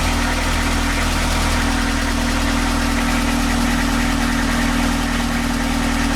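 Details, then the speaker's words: Narrowboat's old London taxi diesel engine just after repair and fuel-system bleeding: steady idle with an even throb about four beats a second, no misses or surges; normal idle. "You can hear it's an old London taxi engine. That was a relief to get that finally sorted."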